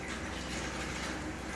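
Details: Single 2000 GPH bilge pump on a Kings 12Ah power pack for a highbanker, drawing just under 7 A at around 12 V: steady even low hum with water swishing, no labouring, running normally.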